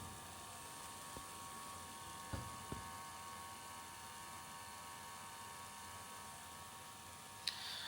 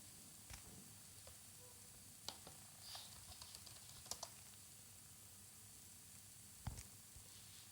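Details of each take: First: 15-inch 2011 MacBook Pro with microphone held close: steady thin whirring whine with several fixed tones from a failing cooling fan; fixed by replacing the fan. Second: No noise. So it's fully perfectly working.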